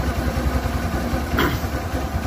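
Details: 2010 Suzuki Access 125 scooter, about fourteen years old, idling: quick, low, uneven thrum and light clatter from the engine side; cause not pinned down, old belt later replaced with genuine Suzuki part.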